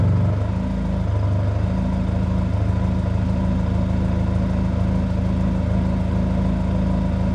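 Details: 1997 Honda Accord after exhaust leak fix, new gasket fitted and headers rebolted, warmed up: smooth, steady low drone with no ticking or puffing between pulses; exhaust now sounds sealed and healthy.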